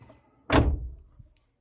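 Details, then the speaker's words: Car door closing with no metal items kept in the door storage pocket, checking for rattles on rough roads; one solid dull thunk then silence, no loose metallic buzz or rattle, door sounds tight. "यह मैंने खोला दरवाजा अमित को बंद कर रहा हूं देखना कोई आवाज नहीं आई"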